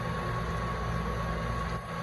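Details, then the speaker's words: Duke multi-cabinet refrigerated drawer cooler, 120 V supply, after electrical repair with pressure sensor cutting out at 425: plugged back in, fan, solenoid and compressor start and run with a steady low hum, even fan whoosh and faint constant tone; normal running, temps 49 and dropping. "re-plug her in and then we can let her safely run there she goes fan solenoid compressor"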